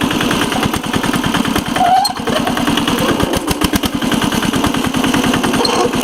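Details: 1983 Case 446 repowered with a Lombardini 6LD 435 single-cylinder diesel, high range at full throttle up a steep grade: quick, even thumping about ten beats a second, steady under load; normal running.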